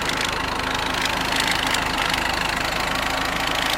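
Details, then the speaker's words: Amphibious Ford tractor engine: even, steady idle, quiet and smooth, charging good, no misses; slightly poppy as aftermarket carburetor runs a bit lean, choke held out slightly. "nice and quiet runs super smooth charging good"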